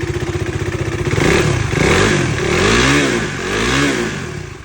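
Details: KTM Duke 390 revved up and down with a rough, clattery rattle that climbs with revs. The source of the engine noise is undetermined.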